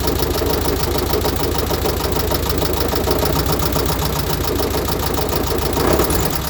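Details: Completely rebuilt VW Type 1 36HP with under 100 miles, valves adjusted correctly, fan belt disconnected and noise persists: dull knock in time with engine speed at idle over fan and valve clatter; owner suspects rod knock or a loose oil cooler in the fan shroud.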